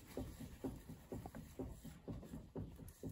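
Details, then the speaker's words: Lada Vesta, 55,000 km, warm +5 °C day: front right strut rocked by hand gives dull, hollow knocks about twice a second; the strut top mount bearing is worn and loose and will be replaced. "тут постукивает есть тут подобный почти есть до какой-то стук странно что такое может быть 100 грамм здесь да есть стук подшипник падшими стучит"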